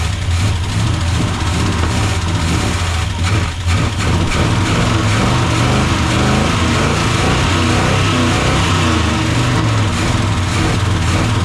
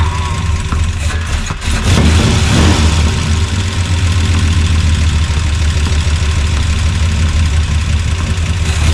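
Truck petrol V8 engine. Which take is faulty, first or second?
first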